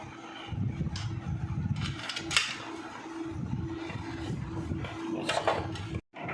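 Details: Hero Honda CD100SS engine after a repair to cure an engine noise problem: steady even low single-cylinder rumble at settled idle, no tapping or rattle; normal running.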